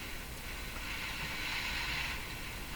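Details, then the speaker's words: Addison 5A tube radio after replacing its last wax capacitors, shortwave band tuned near 14 MHz at high volume: a steady loud hiss with a faint low hum under it. The cause of the hum is not pinned down. "nice hiss but there's a hum in there with it my volume's up pretty high though"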